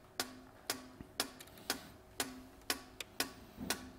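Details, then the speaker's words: 2006 Vauxhall Vivaro EGR valve driven by a Sykes-Pickavant activator for a 90-second cycle, ending in a green pass light: crisp even clicks about twice a second, each with a short buzz. Normal EGR valve actuation. "now you can you can hear that so it's going to open and close it open and close it"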